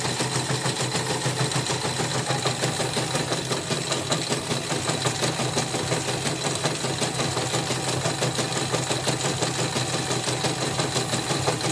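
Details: Portable CNY embroidery machine under test after repair: regular clatter about three ticks a second with a gritty, rough edge over the motor hum; still rough even with a borrowed new bobbin case, old case worn loose. Cause suspected at the hook, unconfirmed.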